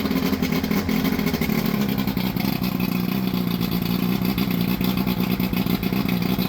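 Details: Johnson Evinrude 115hp 60° V4 two-stroke outboard after powerpack replacement and carburetor cleaning, run to check temperatures on the side that was running hot: it fires and settles into a steady, even two-stroke burble with no misses or knocks.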